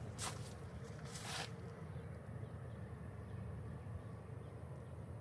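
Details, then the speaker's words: New 36,000 BTU TOSOT heat pump just kicking on after install. Very quiet, low, steady hum with no rattles, grinding or buzzing; compressor and fan sound healthy, and cold air follows. "Real quiet. So I'm gonna let that run for a little while."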